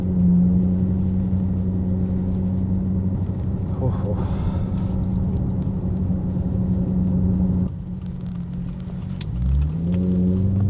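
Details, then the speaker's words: Vandalised Maserati GranTurismo V8 at steady idle; deep, loud, uneven exhaust drone, coarser than a healthy burble: exhaust system badly damaged. "Ei oo kyllä hävit pakoputket. On kyllä pilattu"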